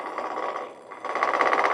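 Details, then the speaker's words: Ash blank turned on a Shopsmith MARK 7 lathe: smooth cutting hiss turns into a rapid, even clatter as the gouge bounces and rattles on remaining flat spots; may partly be cutting through a wormhole. "If they're flats there, you can hear them hear them bouncing and rattling."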